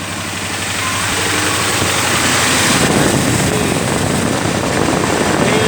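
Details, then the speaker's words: Ford Crown Victoria overheating at idle, owner's quick fix with thermostat disconnected: electric cooling fan spins up over a few seconds and runs flat out, blowing strong steady air; cooling fan running at high speed. "Spinning very fast. Blowing a lot of air out of here."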